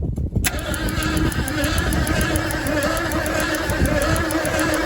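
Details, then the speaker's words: 1976 Ford F-150 that sat in a swamp since 2000: starter cranks steadily and evenly but the engine never fires; owner suspects no spark. "Hey, it works now. Well, it didn't even try to light off, so I should probably check for spark."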